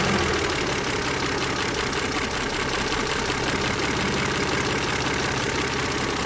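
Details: KF 2.0 engine: fast, even, sharp metallic ticking knock over a steady idle, like a hydraulic lifter tap, but the owner notes the knock comes from the side; source unconfirmed.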